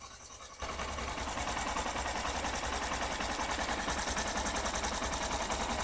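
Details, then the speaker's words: Honda SP 125 BS6 single-cylinder after tappet adjustment only, which removed the tick-tick engine noise feared to be timing chain: smooth even idle about 3–4 beats a second with no tapping; normal idle. "अब देखिए bike को start किया और engine जो टिक टिक का नज आ रहा था 100% रिमूव हो गया देखिए य बिल्कुल नज नहीं आ रहा"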